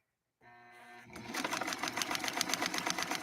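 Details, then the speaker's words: Vintage Necchi Lelia 512 sewing machine, unadjusted upper tension: motor whir then quick even ticks about four per second as the needle pushes through a stiff paper base; stitches cleanly. "and listen to that because it's a paper base uh we're really having to push that needle through you can hear it kind of cutting through uh that paper as we go"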